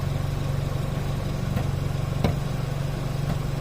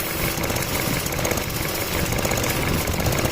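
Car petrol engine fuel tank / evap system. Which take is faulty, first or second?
first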